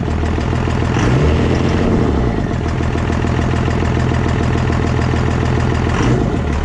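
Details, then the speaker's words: 24-valve diesel pickup just converted to a P-pump with an intake spacer, before installing 4K governor springs: steady, even diesel clatter with smooth low rumble, no stumbles or knocks, idling healthy. "the truck does run. It sounds like it's running pretty good."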